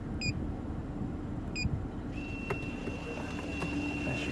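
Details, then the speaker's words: 2012 Audi A6 sport edition rear electronic parking brake after pad change, closed via scan tool: two short beeps, then a thin steady motor whine for a couple of seconds as the caliper drives in; normal. "Here, you can hear the caliper going back in, tighten it up, and we're all done."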